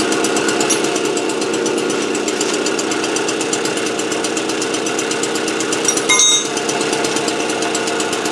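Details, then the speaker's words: AV 89 two-stroke with an Ersal 70cc kit, after ignition repair and a correct-thickness head gasket, warming up before retorquing head and exhaust. Fast, even buzz at steady revs with no knock or misfire; runs cleanly. "quand le joint de culasse est de la bonne épaisseur, ça marche nickel."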